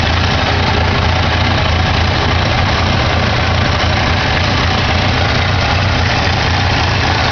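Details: 1987 Ford Ranger 2.3L four-cylinder started after sitting a while: loud, lumpy idle with uneven low pulsing that never settles; rough idle, owner suspects the carburetor needs rebuilding or tuning.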